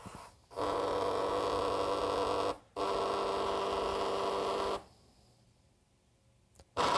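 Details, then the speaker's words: Two small robotics gear motors on a TB6612FNG dual H-bridge driver run from a Raspberry Pi on an external 5 V supply, in 2-second forward, reverse, left and right runs: even whirring bursts at a steady pitch. Normal running. "And now they're rattling all over the place, so I'll put my finger on it so you can hear me again."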